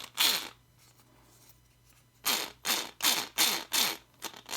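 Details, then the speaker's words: Losi SBR RC front differential, turned by hand before teardown: loud raspy ratcheting bursts, about three a second, sounding dry with apparently no grease, possibly poor shimming; gear grinding noise. "Sounds pretty bad, actually. A little better here. It sounds like it's dry too. Doesn't sound like there's any grease in it."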